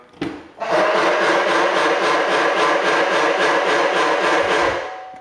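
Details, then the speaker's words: GM Yukon/Tahoe power running board assist-step motor making a barking-seal noise when the door opens: rapid rasping ratchet, about four clicks a second, as the step deploys; plastic gearbox gears stripped or broken; fix is replacing the step motor. "And inside of the gearbox, we have plastic gears that eventually strip out or break. And when that happens, it starts making the terrible seal noise t"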